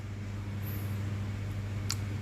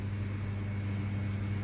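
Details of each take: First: Old-wiring ceiling fan wired directly to supply line, bypassing switch, to test; runs very slowly with steady low mains hum and lazy air rush; capacitor judged faulty, to be replaced. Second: Ceiling fan after capacitor replacement, wired directly phase to fan, bypassing switch; steady even low hum without wobble, rattle or surging, now at full speed whereas blades were visibly slow before.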